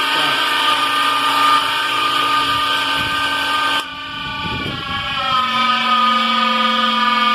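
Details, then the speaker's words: Electric motor that runs normally at first but after about 5–10 minutes warms up and makes a loud, harsh high whine that cuts out and returns lower; noise located inside, a part missing its lock clip is suspected. "é aqui dentro ó que tá fazendo barulho mesmo nesse negoço"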